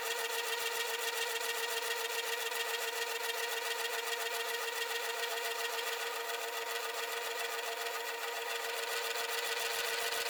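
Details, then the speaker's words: Mill cutting a Myford ML10 compound slide casting, final cut: harsh high-pitched rasping with fast stutter three or four per second throughout; cutter chatter caused by play in a worn, knackered feed screw. "because of the knackered screw, it's chattering quite badly on it as it's stuttering all the way through because it's got play in it."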